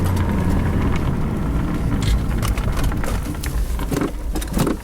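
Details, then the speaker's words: Jeep with manual gearbox running on a homemade fuel vaporizer, test drive: the engine labours with an uneven, sagging drone under road noise, then loses power and dies; owner suspects low vapor in the container and a sensitive air-fuel adjustment. "Well, there she goes. She died. Must be getting low on vapor in that container. Been Been running long enough to get low, so the adjustment for the air-to-fuel ratio is pretty sensitive."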